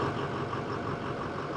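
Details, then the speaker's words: Broken-down bus running after jumping the starter solenoid, which dragged hard and melted the screwdriver tip: steady, even low idle with no knocks or misses; engine running fine, starter still suspected bad. "so he's fired up and he's going to get out of here we're going to do the same thing and go home"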